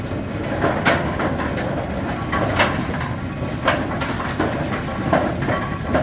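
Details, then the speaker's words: Brunswick A2 pinsetter after cycle solenoid replacement, cycling after the ball detect beam is tripped. The mechanism clatters with sharp squeaks about once a second over the rumble; squeaks noted but left unaddressed. "Yeah, she got some squeaks, but you've got like 4 or 5 other lanes they want me to look at, so we're gonna just leave this one right here."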